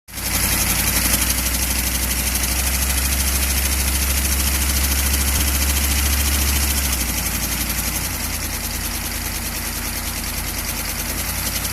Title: chevy van 6.2 diesel engine knocking noise